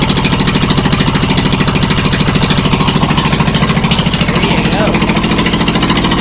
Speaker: I just thought I'd let you hear what it sounds like with no Muffler